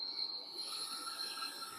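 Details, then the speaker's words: Furnace blower motor with spark ignition, running after power is switched on, before replacement with a universal motor; steady high-pitched squeal over faint motor hum, dry worn blower motor bearings. "Oh boy, that sounds terrible."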